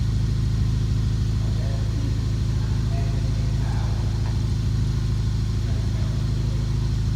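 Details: BMW E39 with M62TU44 V8 at 210k miles, on the stock chains, had been running rough for weeks. Steady idle with a fast, even slapping clatter. Main guide was cracked in several places and all four chains, including the oil pump chain, had no tension.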